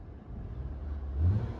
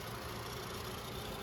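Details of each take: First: 2014 Nissan Sentra SR, 1.8 L four-cylinder with CVT, 109k miles, idling at 713 rpm: throttle blip picks up cleanly and settles without hesitation; lifters quiet, throttle responsive, normal. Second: 2014 Nissan Sentra, 109k miles mostly highway, CVT: at idle a light tinny rattle from the top of the engine that stops when a hand is placed on the Nissan logo; the loose logo is buzzing.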